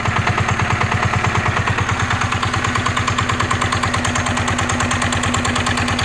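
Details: NF19 single-cylinder diesel, original and unmodified: steady even thumping at constant speed, firing cleanly with no misses or knock; healthy, vibration-free.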